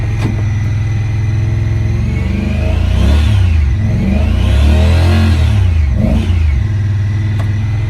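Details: 2017 Honda Pioneer 1000-5 with 1,200 miles, code 9-2: idle stays high and uneven, surging up and down twice on its own; caused by factory over-crimped wires broken inside the insulation at the idle air control valve plug.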